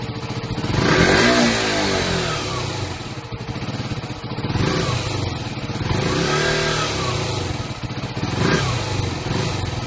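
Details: KTM Duke single-cylinder after fixing a no-start with false LCD errors caused by a low-charge or bad battery: engine catches and revs rise and fall cleanly; normal start and running.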